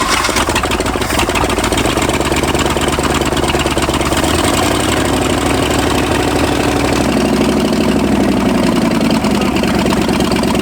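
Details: 1965 Ford F250 V8 first start after 26 years parked, freshly got carb fuel, someone working throttle: uneven, hunting, wandering idle; believed just lean because cold, rough running when cold.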